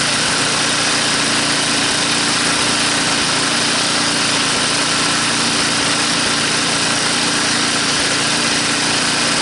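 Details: Tecumseh small engine pulled from the scrap heap and restored to working condition, revved back up: even, steady high-speed buzz with no knocks, misses or rattles; running healthy.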